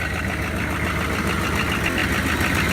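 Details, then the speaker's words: Worn 6.5 diesel that leaks but doesn't overheat or smoke white: even idle clatter with a steady breathy hiss and puffing from the crankcase, heavy blow-by, yet it still runs and tows. "blow-by it's real but hey still run from the drives"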